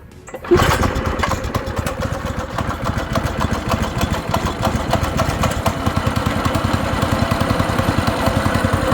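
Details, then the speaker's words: Small go-kart single-cylinder engine just refitted with the throttle cable reconnected, started on choke, not yet ridden: catches within a second and settles into a quick, even putter with no stumbling. Normal running. "yeah this engine ran pretty good ran pretty good on the ground and stuff"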